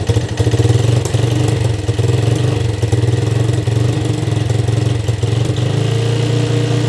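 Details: Yamaha Vixion single-cylinder that died suddenly after running out of oil; spark plug replaced, possibly piston or valve damage. It now starts and settles into a steady, even idle with a quick rev blip; runs, though mechanic says it isn't truly normal.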